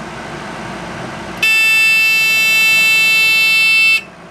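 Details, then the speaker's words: Little Giant VCMA-ULST (554415) condensate pump emptying a basement dehumidifier, tipped so the high-level float activates: steady piercing electronic buzz starts abruptly, holds about two and a half seconds, then cuts off; high-water alarm verified working. "that was just tipping it enough that the high high level floats which activated so I verified that the alarm is still working"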